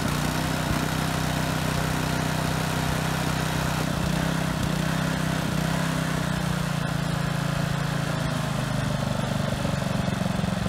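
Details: Husky HU80709A power washer engine, pump removed, after carburetor cleaning cured a no-start, single-speed: steady, even drone with smooth low hum, no surging or missing; runs healthy.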